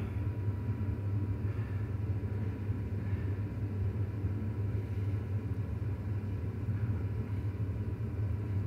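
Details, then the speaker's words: 7.3 PowerStroke diesel at idle with the cylinder 6 injector unplugged, a cutout test compared against cylinder 8, checking for a bad injector vs a dead cylinder: deep rumble with a slightly lumpy, uneven beat. Idle quality changes. "change in idle quality when injector from cylinder 6. was unplugged"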